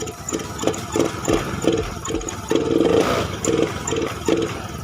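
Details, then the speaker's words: Honda Beat FI scooter, no error codes, modes 1–4 normal, throttle body, fuel pump, EOT sensor, plug swapped: quick throttle blips about two a second each flat and choked; hesitates and bogs on snap throttle. "kita coba hidupkan lagi buat memastikan kalau dikocok seperti itu nggak bakalan langsung dapat ya biasanya ada ngoknya tapi nggak parah seperti ini"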